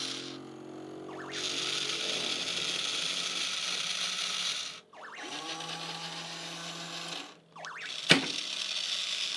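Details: Nintendo R.O.B. robot after repair: small motor whirs steadily in few-second runs with short pauses, no slipping or clicking; working properly.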